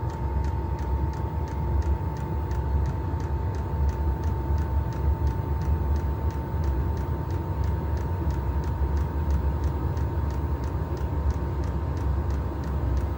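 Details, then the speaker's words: Chinese diesel heater on trial run, exhaust not bolted on, doors open for ventilation, warming up: steady roaring burn with constant whistle and even fuel pump tick about three times a second; normal burner operation. "I just want to feel it get warm. You can hear the burn chamber now."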